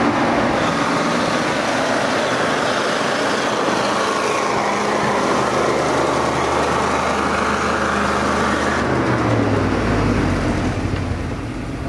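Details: ZIL truck engine after start with fresh battery and crank handle kit, moving up the hill: steady, even drone with outdoor noise, deepening as it pulls away; runs cleanly, no knocks or misses.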